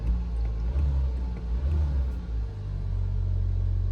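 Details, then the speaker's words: Hyundai Avante 1.6 G4FD, about 300,000 km, first start after block sleeving and full rebuild for severe piston knock: even, quiet, smooth idle with no knocking or ticking. "ровненько, тихо, никаких нареканий нет."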